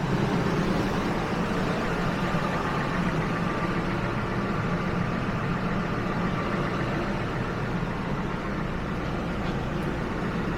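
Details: Steady, even idle with a smooth low rumble and no misses, knocks or surging, AC off. This 2000 Ford F-150 has 331,000 miles and is just after replacing the original fuel pump; a coolant leak was later found at a heater hose.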